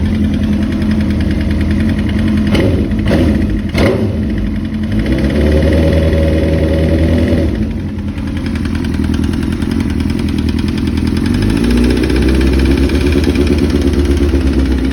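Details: 2005-2006 Suzuki GSX-R1000 motorcycle idling and revving: deep, uneven knocking under the exhaust note, suspected rod knock, not confirmed.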